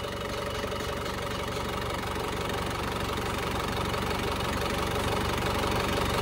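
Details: Warm Panther diesel after an oil leak repair, pistons not replaced. Even, light idle clatter with steady speed, no knock or misfire. The engine sounds smooth and healthy.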